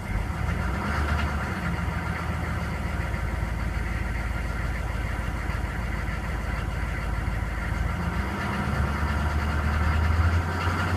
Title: K2500 6.5L Knocking Sound